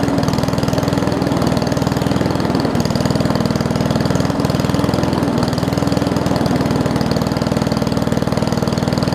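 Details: Old Murray push mower with a Briggs Classic single-cylinder, fuel tank swapped from another mower and oil topped off. It chugs slow and loping at about four beats a second; the idle sits too low, apparently from a missing governor spring.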